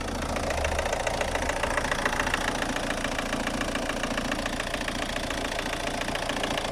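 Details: Opel Astra G 1.7 DTI 16v 75hp Y17DT diesel idling: rough, fairly regular tapping three to four times a second with power loss; persists despite replaced injector, new TDC sensor and overhauled injection ECU, cause unknown.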